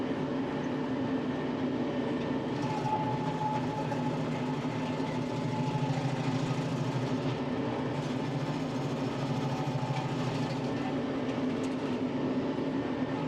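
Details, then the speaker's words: Tractor-mounted Baumalight 3P38 three-point stump grinder under cutting load: even, unwavering low drone with no dips, surges or bogging of the tractor engine; normal stump grinder operation under load. "if I went too fast it would kill the tractor and you could really hear it bogging down the engine but I never had had any of those problems today running this grinder"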